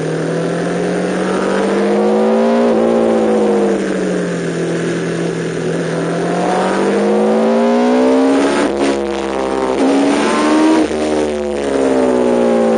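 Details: MV Agusta F4 750 on the Spa Nishiura circuit with its chronic misfire problem. The high-revving four rises and falls with a ragged, stumbling note at times; misfiring, cause not pinned down.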